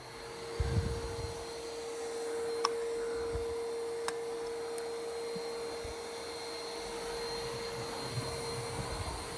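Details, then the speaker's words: New iRobot Roomba Plus 515 vacuum-mop combo going under furniture, then starting its crisscross second pass: even mid-pitched motor hum with occasional light taps against furniture, otherwise smooth; running normally. "Definitely is small and able to go under furniture pretty good. Ooh. Now it's going to do the crisscross pattern [clears throat] for the second pass."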